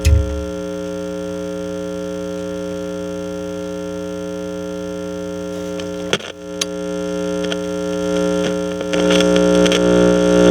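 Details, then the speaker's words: 1963 Channel Master 6520 eight-transistor radio with the AGC detector diode removed: loud, harsh, buzzy overdriven audio over steady hum, overloading because no AGC voltage is developed to cut the gain. "it sounds like that because it's overloading because there's no afc i'm not afc agc avc agc without the diode working it's not developing any voltage to to cut the gain down"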